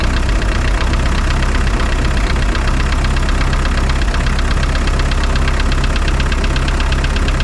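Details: Spryte snowcat "Rusty" turbodiesel after new OEM Zexel fuel injectors fitted and primed: steady even idle with regular low beat, no misses or knocks; idles noticeably smoother, rock solid after coming off acceleration.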